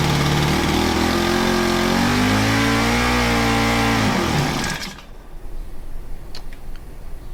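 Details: Honda FG110 with GX25, after cleaning oil-soaked air filter and with oil low: speed wavers and hunts, then sags and dies instead of idling; overtight 10mm throttle-cable nut stops throttle closing fully, to be loosened.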